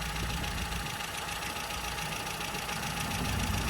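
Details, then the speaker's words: Mini with A+ 998 engine, HS4 carb, after fitting new correct-heat-range spark plugs and leaning the mixture: steady even idle on all cylinders, no misfire; timing 8° idle, 32° full advance. "idles perfectly now so what we're going to do is check the ignition timing and then we'll move on to the carburetor"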